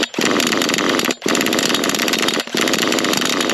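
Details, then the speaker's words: HPI Savage 1/8 nitro monster truck: three screaming high-rev bursts with the engine revving freely but the drive not taking up; owner suspects the gearbox or clutch has failed, unconfirmed. "Something has gone in the gearbox, hasn't it? Oh dear. Seems to want to go that way."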